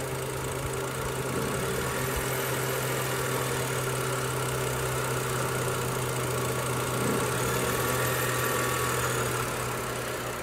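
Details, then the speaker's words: BMW 328i idling on a very hot day with no AC or accessories on, radiator fan roaring: idle revs up and down and won't rev over 2000 rpm, worsening daily; owner suspects a vacuum leak, unconfirmed; hunting later stopped. "Right, so I'm sure you can hear it revving up and down, and it will not rev over 2000 RPM. To me, that could be like a vac leak, but I wasn't doing this yesterday, so I don't know."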